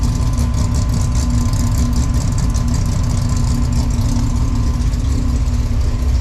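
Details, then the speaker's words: V6 Chevette on first startup after a fresh drivetrain install, timing set and crossed plug wires fixed, now firing on six cylinders instead of four, temperature good: deep choppy idle with a steady loping beat from the big cam, normal. "So far, got one of them choppy cams. Sounds good."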